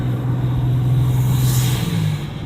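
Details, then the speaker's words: High-mileage engine right after oil change with new oil, regular rev: steady deep loud drone, slight rise, no knock or tick; owner feels little power, suspects oil too thin, plans oil stabilizer additive. "I don't know if you can hear it very it's very loud um and like I said the car is not dramatically changing so I just feel like it's compressing out a lot a lot of air"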